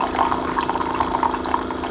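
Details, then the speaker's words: Keurig K-Duo Plus carafe coffee maker, after pushing the slightly open filter tray fully closed so it pours: steady pump hum with bubbling, trickling water throughout; normal brewing pump and water flow. "So it gets to the point to where it brews actually, but it just doesn't pour if this tray is open just a little bit."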